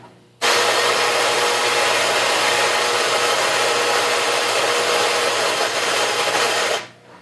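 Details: Whirlpool front-load washer model WFC7500VW1, about 2 years old, makes a harsh, steady rasping grind that starts and stops abruptly; it occasionally stops with 1:00 left in the cycle until rerun.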